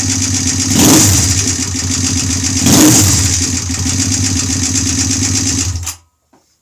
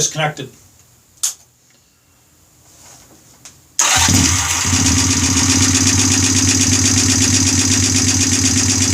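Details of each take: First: Freshly rebuilt Honda twin bobber engine at first startup on the stock OEM carburetor (twin carbs wouldn't work), needing break-in: steady lumpy idle with two short throttle blips returning cleanly; normal healthy idle, no oil leaks. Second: Honda bobber build first startup on OEM carburetor: after a quiet lead-in the engine catches into a fast, busy idle with a light rapid tick; owner thinks valves need adjusting again.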